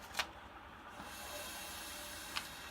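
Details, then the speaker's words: Electric water heater refilling after element replacement, pressure relief valve left open: steady airy hiss of air escaping as water fills the tank, with a couple of light knocks; normal air venting. "so that as the water goes into the tank and fills it up air can escape so that's what it kind of sounds like"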